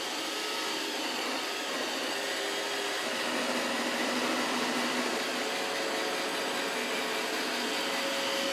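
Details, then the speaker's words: iRobot Roomba 692 random-navigation robot vacuum on automatic mode, starting a 30-minute obstacle test. Smooth, even high fan whir with steady brush hum, no rattles or strain; running normally. "so i just have this on automatic completely random so i'm gonna let this go for exactly 30 minutes"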